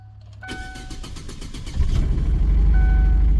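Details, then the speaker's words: 2011 Chevy Aveo, towed in with a dead battery, started on a battery charger: a few sluggish cranks, then catches and runs with an uneven lumpy beat; dead miss. "it's a beautiful thing it's got a dead Miss in it though he did mention that"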